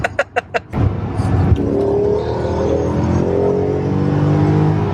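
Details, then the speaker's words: Dinan E39 BMW M5, 16–17 years old with 226,000 miles, under hard acceleration. A few sharp clicks, then a deep V8 exhaust note climbing smoothly in pitch. The exhaust, possibly thin-wall headers, breathes well; it is a strong, healthy pull. "You can hear it breathing so well. And it's not even induction. It's just the exhaust is, I don't know if they're thin wall headers or just the enhanced airflow."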